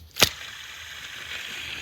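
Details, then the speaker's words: Worn tensioner pulley bearing on a 2006 Toyota Corolla 1.8L 1ZZ-FE, removed during serpentine belt and tensioner replacement: sharp click then thin dry whirring hiss as the old bearing free-spins; the new one spins only briefly and smoother. "that bearing is not supposed to sound like that see that it only spins just a little bit and it's much smoother it doesn't just freeze spin like the other one"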